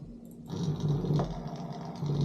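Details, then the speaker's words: Simagic P-HPR Neo pedal haptic motor on the brake port of a P2000 control box: low, coarse buzzing rumble with a rough, knocky edge, clunkier than another unit; suspected failing haptic. "exactly the same you can hear it's clunkier than the other one which is barely"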